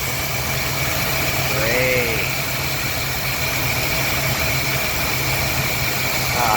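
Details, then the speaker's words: 1977 Pontiac Trans Am idling during a vacuum-leak check by spraying flammable spray: uneven, hissy, rough idle about four pulses a second; intake manifold vacuum leak apparently found, intake needs to come out. "oh that one yeah that's Vicky and we got an intake manifold leak it looks like so it's gonna need intake out here"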